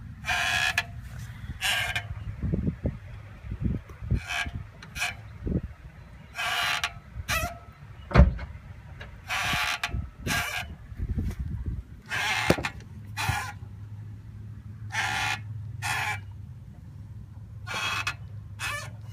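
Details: 2003 Volvo S40 rear brake: short squeaky groans in pairs at a full stop as the pedal is pressed and released, same with the e-brake; rear caliper found seized and replaced.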